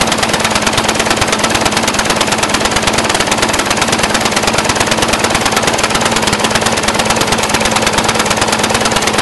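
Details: Brand-new Briggs & Stratton 450 lawn mower, under 2 hours' use: harsh, rapid popping about three per second, never smoothing out. Black smoke, sooty plug, throttle has no effect; smoother when tipped back. Rough idle, cause unknown.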